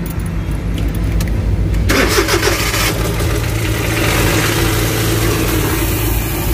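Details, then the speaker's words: Suzuki DA63/DA64 engine at start: brief cranking, then an uneven, lumpy idle with a loud low rumble; it shakes, vibrates, lacks power and dies after driving a short way despite earlier parts changes and cleaning; carbon deposit build-up is suggested. "So ang issue nito is nangangatog, nanginginig yung makina, namamatay yung makina pag tumatakbo ka ng mga almost mga 10 meters or 1 kilometer."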